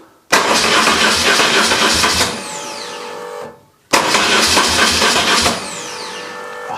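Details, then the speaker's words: BMW R1150GS, a bit cold, after starter motor replacement and fuel pump priming: two starts, each firing almost instantly and running briefly and evenly. Quick, clean starting confirms the old starter motor was the fault. "that sounds so much better so at least we know it was the starter motor"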